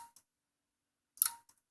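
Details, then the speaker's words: Dell Optiplex 780 (circa 2009) power supply, motherboard disconnected: two sharp relay-like clicks about a second apart with the fan only twitching. It likely detects a short and shuts down; a failed power supply. "Plug in the power supply. Nothing. Although I do hear what sounds like a relay clicking."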